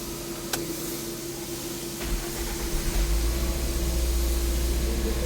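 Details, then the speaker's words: 2011 Toyota Corolla 1.3 manual, cold start with low coolant temperature: engine catches after a couple of seconds and climbs to a steady raised idle over fan hiss; normal cold fast idle. The car also has heat-up, misfire and long-start complaints. "ये RVM लो है। Temperature लो है। RVM high है।"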